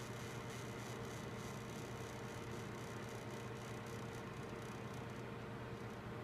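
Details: Gigabyte G1 GTX 1070 graphics card fans at about 50% max RPM: faint steady whirring with a low hum and rough hiss, a grinding noise from a suspected fan defect.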